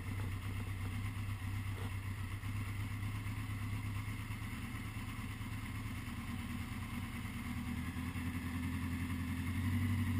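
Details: 1980 Honda GL1100 flat-four after a rebuild, slightly cold start at 54 degrees with carbs synchronised; smooth, even low burble with a steady beat and no misses or ticks, clean balanced idle.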